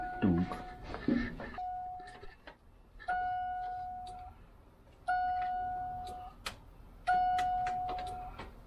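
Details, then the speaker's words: 1988 Ford Mustang Fox body: single chime tones repeat about every two seconds with the key out, door warning staying on until the door closes; worn door or key switch suspected. "I'm not sure why the key out it's doing that why it's doing what the doorbell Chim well when you close the door the door chime stops I know but the door chime shouldn't go off when the keys out"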